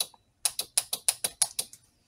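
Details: About eight sharp, crisp clicks at roughly six per second that quickly fade, from a 12 V motorbike horn relay wired to body ground via a small switch; switching normally when energized.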